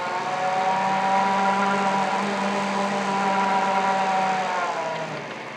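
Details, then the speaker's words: Monarch 10EE lathe after a DC motor drive conversion, test run while checking variable speed: a smooth, steady motor hum and clean whine that eases off as it slows, with no knocks or grinding; the drive is running healthy. "I got my electronics in the machine and everything seems to be working. So that is definitely a step in the right direction."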